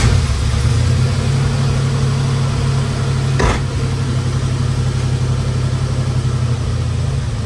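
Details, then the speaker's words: 1972 Dodge Charger V8 after a fuel pump install, first running in 25 years, tach reading about 750: a low, steady burble with an even beat and no misses or knocks; running smooth. Normal idle. "look how smooth that is oh that thing's running smooth with"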